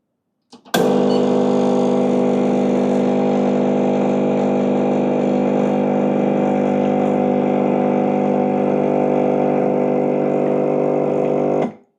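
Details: Gemilai 3007Z espresso machine after turning the flow control half a turn clockwise, pump run about ten seconds giving about 60 ml per 10 s, matching the 3007L. A steady, even buzzing hum at one pitch, then a clean stop. Vibratory pump normal.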